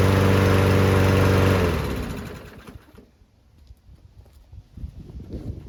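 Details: Newer Toro Recycler single-cylinder mower after fixing water in the fuel, cleaning the carb and adding 500 ml of fresh oil: it fires up and runs with an even, steady beat before shutting down, sounding healthy.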